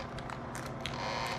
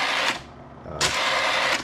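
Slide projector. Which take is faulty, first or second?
first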